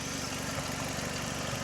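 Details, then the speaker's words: Car idling continuously for almost 24 hours: steady, smooth low rumble with no knocks, misses or surges; no coolant spitting, not overheating, not overly hot; engine running healthy. "Everything's looking good. Nothing looks weird. There's no coolant spitting out of it anywhere, so it must not be overheating."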